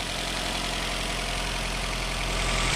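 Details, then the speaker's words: Nissan Altima just after new ignition coils and spark plugs, which fixed hesitation above 40: starts right up and idles smoothly and evenly with no misses. "Let's go ahead and fire it up and see how she sounds. Oh, gotta hook the battery back up. Fired right up. Sounds good."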